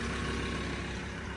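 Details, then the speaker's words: Auction Ford Ranger diesel, put in neutral and four-high: steady, even low diesel rumble at idle with no knocks, misses or rattles; sounds alright. Normal idle. "well she goes in the gear I don't know what that does but she sounds alright"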